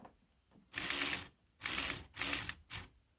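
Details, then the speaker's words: New idle speed motor for Cadillac 8-6-4, bench-tested with wires reversed to retract it: four short even whirring buzzes with silence between, motor drives plunger cleanly; works properly. "Just for grins, I'm going to reverse them, which should retract it. Okay, that sounds good."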